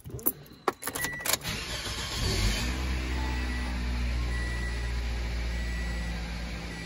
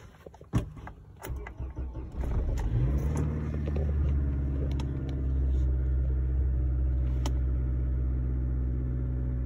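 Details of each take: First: 2006 Toyota Corolla 1.8 with just over 200,000 miles, previously misfiring on cylinders 1–4 mostly uphill: after repair and reassembly, a clean start and steady, even idle with no misfires. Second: 2006 Toyota Corolla 1.8, over 200,000 miles, cold start: engine catches into a slightly uneven idle with live misfires on all cylinders (P0301-P0304). Coils are new, so plugs and coils are not the suspected cause.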